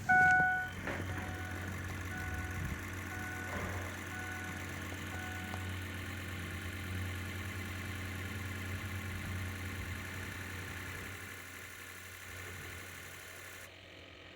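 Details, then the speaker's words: Ford 6.0L diesel with crank-no-start, hot or cold: at key-on before cranking, steady even injector buzz with no gaps or dead spots, indicating injectors all firing; next check ICP pressure. "okay so if your sounds like mine where it's buzzing really well um you don't hear any dead spots or whatever then uh your injectors are probably all firing"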